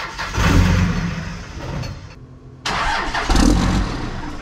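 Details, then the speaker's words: 2001 manual Cummins diesel salvage truck, first start: catches and revs briefly, drops out, fires again and fades; it can be revved but dies; owner thinks it is out of diesel despite a half-tank reading. "well that's weird that is another weird problem [Music] that's weird i can rev it but it just dies"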